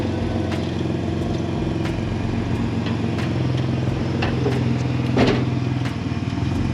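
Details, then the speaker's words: Project car taken in trade, idling with a loud, raspy, uneven note and sharp ticking puffs like an open pipe; owner suspects a huge exhaust leak. "There's like a huge exhaust leak, it sounds like. So I wanna get that figured out."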